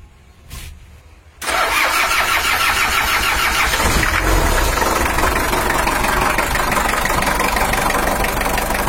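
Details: Toyota Hiace LH-11 diesel with a broken injection pump bracket hole and low oil pressure: after starting, the engine settles into a harsh, uneven idle clatter, rough running blamed on the loose injection pump.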